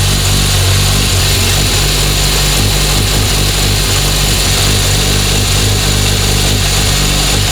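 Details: 1976 Honda CB750F1 four-cylinder after carburettor balancing: steady, even idle with no hunting or misses, smooth across all cylinders; remaining noise blamed on a worn cam chain.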